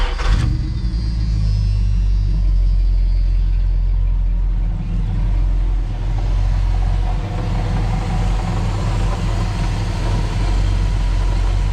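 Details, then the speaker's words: 1987 Dodge Ramcharger 360 V8, straight pipe, no emission controls, recent tune-up (cap, rotor, plugs), oil and valve covers done; warm start catches instantly, settles into deep, steady, even open-pipe rumble; normal warm idle. "what you're looking at is the 360 with the straight pipe, and it sounds great. It just doesn't have the emission controls that some states are going to require."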